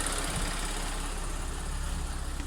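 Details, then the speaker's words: Audi S4 B8 3.0T supercharged V6 after timing chain repair for bank 2 P0018 jumped chain: smooth, even low idle after high idle drops, no rattle or ticking, WD40 burning off manifold bolts; no fault codes, cam deviation both banks matching. "hopefully no leaks anywhere burning off a bit of WD40 that I put on the uh bolts on the manifold there sounds pretty good so far"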